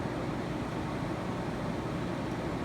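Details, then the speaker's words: 1984 Carrier Siesta 5000 BTU window air conditioner with reciprocating compressor, fan-only on high speed: steady, even rush of air with a low hum and no rattles or scraping, moving a good amount of air; normal fan operation. "a good amount of air. It definitely blows a nice circulation."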